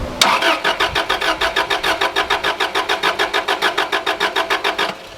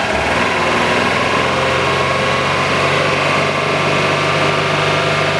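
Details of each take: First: Subaru RS Liberty AWD turbo manual, parked 10 years, first start attempt on fresh fuel after priming fuel pump: uneven cranking about 3.5 pulses per second with unequal compression beats, never catches; owner suspects head gasket. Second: Subaru RS Liberty AWD turbo manual, parked 10 years, idling after suspected blocked injectors freed up through heat cycling and fuel pressure: even, smooth idle with steady hum, no misses, knocks or hunting; injectors now working.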